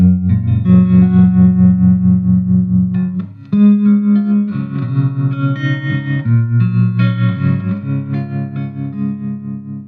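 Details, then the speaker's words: 1963 Fender Princeton Brownface 6G2 tube amp after hum repair and full restoration, played through an old 10-inch Utah speaker replacing the original Oxford: clean chords and single notes, quiet and hum-free between notes; normal amplifier tone. "so now it's time to listen to the fender princeton brownface model 6g2 from 1963."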